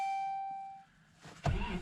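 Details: 2012 Ram 1500 Hemi V8 tested with the second newly programmed key fob, security light going out; a steady chime rings and fades, then the starter briefly cranks and the engine catches cleanly.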